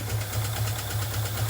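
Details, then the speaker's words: $400 truck after engine swap: low idle lopes unevenly, surging about four times a second with no steady beat; rough running from a vacuum leak, ran right once the leak was fixed. "thing runs like shit."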